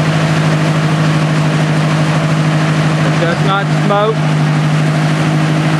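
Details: 1964 Ford 4000 tractor with a carburetor fitted in 2010 and 91 hours on the tach, started cold with a little choke: steady low hum with an even beat, no misses or knocks. It is a healthy, normal idle.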